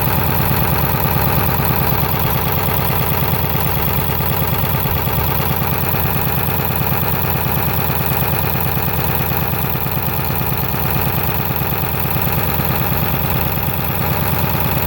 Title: 7.3 blow by rough idle twin pyrometers